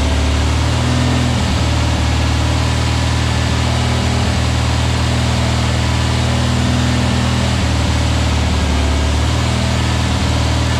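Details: Freshly built VW Beetle 1679cc single-port engine, Scat C25 cam, dual Empi ITC carbs, 20-minute cam break-in: smooth steady flat-four burble at one speed, no ticking, knocking or stumbling; healthy, timing spot on, carbs need tuning.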